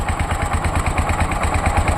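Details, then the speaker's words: Tuk-tuk engine whose cutting-out is blamed on the right ignition coil with a missing coil clip: a steady, even chugging idle of about nine beats a second, with no misses. Normal idle, with the engine running fine at this point. "طبعا المكينه دايره الصوت قدامك زي ما انت سامع اهو مافيش اي مشكله خالص تمام المكينه في السلانسيه حلوه"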